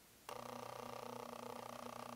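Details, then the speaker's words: Nikon Z6 with an F-mount lens on the FTZ adapter; sudden buzzing whir with a rapid fluttering pulse as the autofocus motor hunts, audible in person though not showing on the meters, recorded through a hot-shoe mic. "definitely making some noise are we showing up on the meters nothing showing on the meters we will check it when we play it back and see if it's audible but I can definitely hear that lens focusing for sure"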